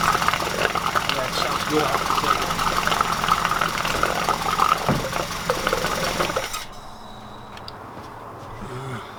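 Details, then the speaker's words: 1969 Ford Capri with Pinto engine after renewing camshaft finger followers, first start: runs evenly with light quick even valvetrain patter, no knocks or heavy clatter, then shuts off; normal quiet running. "I guess that's what a pinto is supposed to sound like. Wow."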